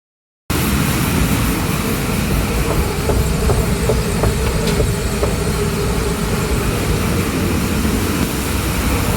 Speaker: so we're gonna go inside and we're gonna override drive so that the machine starts moving we'll be able to hear that grinding noise